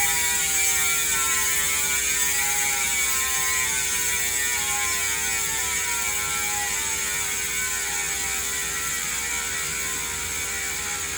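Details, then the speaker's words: Industry Nine Hydra freehub after cleaning and greasing, some grease removed: fast even ratchet buzz easing in pitch as the wheel coasts, smooth, no grinding; healthy freehub. "not too loud anymore now let's do it that's how it sounds like that's really smooth"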